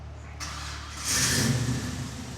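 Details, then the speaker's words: Chevelle SS big V8, with a new one made up and run from the compressor top to the cylinder head that tightened things up: starter cranks briefly, then it catches and settles into an even idle with no rattle, way better, running smoothly. "All right. Way better, Yeah, way better. beautiful."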